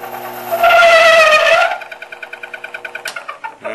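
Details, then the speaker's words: Machining cut with a loud, wavering shriek of tool chatter caused by too low a feed rate; raising the feed rate without changing spindle RPM stops it. "what the chatter sounds like in the intuitive thing to do is to back off but the real result that we want is to get a higher feed rate"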